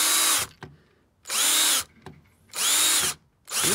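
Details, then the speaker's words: Drill driving a large-head screw for a hose hanger into a solid brick wall: short bursts of high whine each cutting off abruptly; screw is longer than the drilled hole and bottoms out, stalling; fix is cutting the screw or drilling deeper. "the screw is longer than the hole I've drilled in the brick so it's come to a complete stop"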